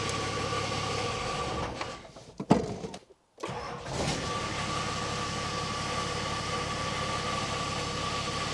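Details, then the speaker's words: Nissan GQ Patrol diesel on its first start after years unregistered, in neutral: a rough, gritty scrape over the idle from the gearbox/clutch area. "It could sound like it was coming from the from the gearbox sort of the clutch area. That is not ideal."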